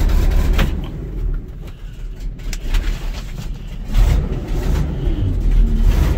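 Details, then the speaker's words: 1980 Ford LN700, 370 big block V8 four-barrel, after sitting a few years: deep, slightly lumpy rumble running on its own, hitting on all eight; known bad exhaust leak. Normal idle. "well it's definitely running under its own power sounds like it's hitting on all eight"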